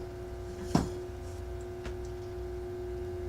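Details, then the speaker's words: 1947 Philco 47-1230 record changer motor brought up slowly on a variac to about 60 V: a steady low electrical hum with no spin-up because the motor won't turn; a wheel appears out of its proper position. "doesn't want to turn"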